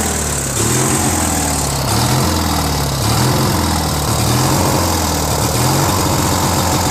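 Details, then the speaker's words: Briggs & Stratton 16 hp opposed twin on a Murray garden tractor, fresh oil, added carburetor: idle surges up and down about once a second, runs better with choke and fine at full throttle; lean, fuel-starved carb, later put down to a probably missing Welsh plug. "Runs good with some choke. It means not enough gas is getting there. Because if it was full air, right, gas should be able to ignite, but because it surges, it's not getting enough gas."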